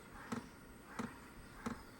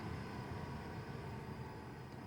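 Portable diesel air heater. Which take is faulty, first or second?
first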